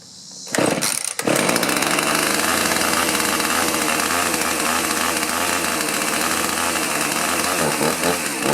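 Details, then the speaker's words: Two-stroke chainsaw that sat stored a long time, started after choke and prime on old fuel with chain oil topped up: catches after a cough and holds a steady crisp buzz with even revs, running right. "What I'm going to do is go ahead and start it up and let it run a little bit, make sure it's running right."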